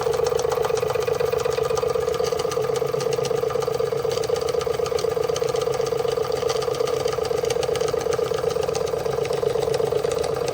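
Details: Marklin 16051 twin-cylinder steam engine, running at low pressure before safety valve lifts: steady quick chuffing about four beats a second with light mechanical chatter; normal running.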